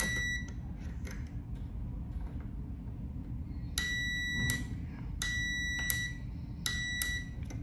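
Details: Limit switch tested with a multimeter on continuity, bottom contact normally closed, top normally open: three clear high-pitched beeps, each under a second, as the actuator is pressed; the contact closes properly.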